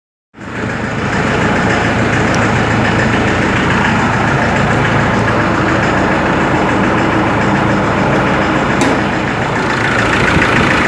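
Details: Ford Ranger 3.0 Limited diesel idling cold: loud, rough, rapid knock about four beats a second throughout; mechanic and injection-pump specialist could not find the cause.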